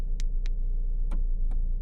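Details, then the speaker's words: 2017 Fiat with water-damaged RF module, owner suspects leaking frame welds: sharp single clicks at uneven gaps over low hum, about four in two seconds, as door locks try to unlock while already unlocked; actuators cycling on their own. "but it's just randomly doing it there it went again it's the sound of it trying to unlock while it's already unlocked"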